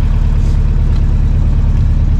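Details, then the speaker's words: 1993 Toyota pickup, body-dropped, idling on a new exhaust: steady, even, smooth low rumble with no misses or knocks; owner notes the timing chain is not ideal and plans a new chain. "yeah it runs great I'm like [ __ ] dude like I can't believe it run listen to it yeah it's it's smooth"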